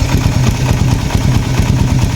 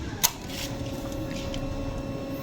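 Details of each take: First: Raider 150 FI motorcycle at 43,904 km before tensioner reset: fast light ticking over a low single-cylinder idle thump that doesn't fade, not yet very loud but sometimes louder; cam chain tensioner needs resetting. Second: Raider 150 FI motorcycle at about 43,000 km, just after cam chain tensioner reset: starts and settles into a steady idle with only a light, even tick left, attributed to the engine's age; cam chain now near normal.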